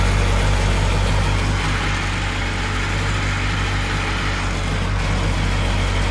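A smooth, even two-stroke idle holds a steady low pulse with no knocking or misfire. The engine runs healthy.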